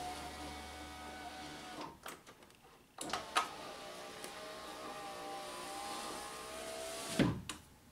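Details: 2012 Honda Accord 2.4L SE passenger window tested after a door latch/lock actuator replacement that disturbed the window run channel: a short electric whir, then a thump as the glass seats, so the window motor works normally.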